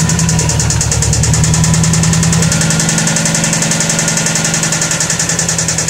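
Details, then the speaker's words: 2004 Subaru Forester XT, 87,000 original miles, idling: light, uneven tapping about three or four per second over the exhaust note; owner thinks it is knock, source unconfirmed. "see if you guys can help me figure what this sound is think it's knock"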